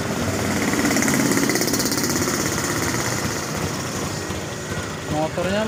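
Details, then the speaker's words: Honda Beat LED Deluxe scooter with a code 7 history, just started: a fast, choppy putter about three beats a second that stumbles unevenly when the throttle is first opened. The engine sputters. "mengalami berebet. Motor sudah hidup tapi mal eh rada berebet seperti [Tepuk tangan] ini."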